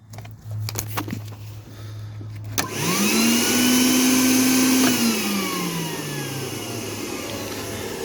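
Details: Tennant 5680 floor scrubber after fixing improperly connected wiring that caused no-start following battery replacement: motors spin up with rising whine, settle to steady even hum under faint brush rumble; running normally.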